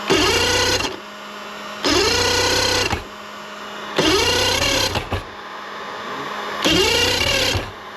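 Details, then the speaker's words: Mercury 2.5L EFI outboard with a hot-soak no-start (fuel bulb pumped): four one-second cranking bursts where the starter spins but the engine never catches, with an occasional pop. Cause under investigation, electrical suspected. ">> Yeah. It pops like that once in a while. >> Yeah, that's exactly it right there."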